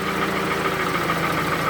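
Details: Toyota Camry with 2AZ engine at 220,657 km, smoking heavily from under the valve cover; steady rapid knock over the idle, mechanic suspects lower end (balancer shafts), source unconfirmed pending teardown.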